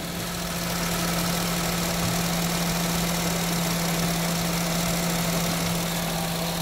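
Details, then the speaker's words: Honda Jazz engine idling after a tune-up, ready for a drive to Baguio: smooth, quiet, steady low hum with no knock or misses, a normal clean idle. "Start na siya. Tahimik na naman ng makina, oh. Smooth na smooth."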